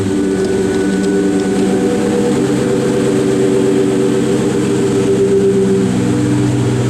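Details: Low-mileage 2003 Terminator Cobra supercharged V8 with new X-pipe and Flowmaster catback: deep steady exhaust burble with faint supercharger whine, no ticks or stumbles, healthy idle.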